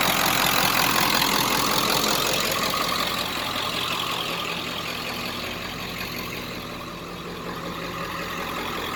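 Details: 1995 Ford F250 7.3 Powerstroke diesel, about 180,000 miles, stock intake, Royal Purple oil, idling after start: steady, even idle with a loud exhaust rumble, no misses, knocks or smoke; healthy engine.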